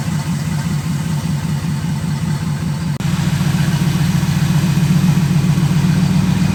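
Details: Restored 1966 wide-gauge Bombardier, first start after full rebuild, fuel filter leaking: steady, even low idle rumble with smooth regular beat near four per second, no knocks or misses; normal healthy idle.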